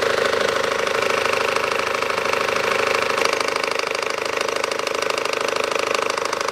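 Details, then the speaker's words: 2012 SsangYong Actyon 2.0 diesel, manual, 4WD, 77,000 km, idling with AC compressor on: steady rapid knock about three or four a second over diesel clatter from the lower belt drive; belt tensioner knock. "включен компрессор кондиционера звук когда candy кондёр включается звук появляется стучащий"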